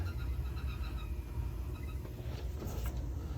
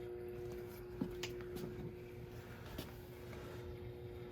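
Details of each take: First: Burnham gas boiler with pilot lit, 24 volts and 20 PSI confirmed: steady, even low rumble with no knocking, banging or whistling; firing and circulating hot water normally. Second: Burnham gas boiler with no heat: steady circulator hum with thermostat relay clicks, zone valve open and vent damper open on automatic, but burner not firing.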